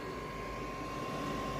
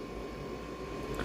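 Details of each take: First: Dacia Dokker with a newly fitted 12/24/220 V parking heater running: steady soft air whoosh with a thin constant fan whine, burning evenly without surging; owner unsure what the faint fan sound is. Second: Dacia Dokker with an added 12/24/220 V air heater (webasto-type): a thin, steady high whirr from a very small fan that keeps running after the heater stops, though it normally shouldn't; cause unknown.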